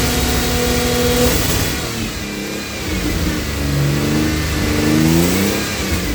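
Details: Cold AJ30 Jaguar / Ford Duratec V6 in a Gilburn Invader on ME360 ECU, after changing VVT control valve settings: idles fairly evenly with mild speed drift, no misfire or stumble; idle considerably better than before.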